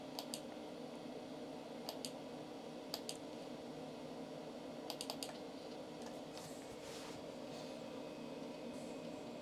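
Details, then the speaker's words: Commodore 386SX-16 original hard drive loading Microsoft Project: sharp ticking in scattered clusters of two or three over a steady fan hum as the heads seek constantly; owner suspects the drive needs defragmenting. "sounds like the hard drive needs a good defragging it's uh seeking all over the place"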